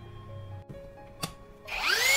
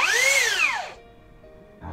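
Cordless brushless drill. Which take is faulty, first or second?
second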